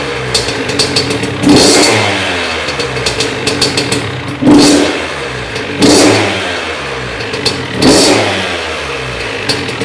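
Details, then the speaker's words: 2001 Honda CR80 two-stroke after cylinder head, studs and gasket replacement for a head coolant leak. Crisp blips every couple of seconds, clean rise and fall, no rattle or bog; normal running. "Alright guys, I just checked the coolant, it looked like it didn't go down anymore, so I'm just going to start it up again, maybe ride it around real quick."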